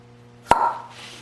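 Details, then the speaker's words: Mercedes cylinder head on bench, intake valve guide checked by finger-plugging the port and snapping the valve off its seat: single sharp loud suction pop, suggesting excessive guide clearance; exhaust guide sounded less so. "so I'm gonna I'm plugging the guide on the other side you listen that's pretty I'd say that's pretty loud to me"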